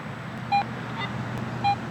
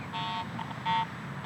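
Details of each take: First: Garrett AT Pro International metal detector after automatic ground balance, with no ground reaction: quiet hum with short, clean mid-pitched beeps as the coil passes, a solid target response showing about eight inches depth. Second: Garrett AT Pro International metal detector swept over mineralized soil above a nickel buried eight inches deep for a year gives three short uneven beeps, ground chatter with no target signal, from improper ground balance.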